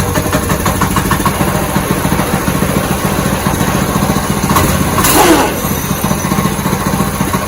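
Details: Go-kart with brand-new 6.5 hp Ironton engine swapped in, first start, choke just turned off: quick regular single-cylinder putter at even idle, short blip midway, no misses or knocks; runs healthy.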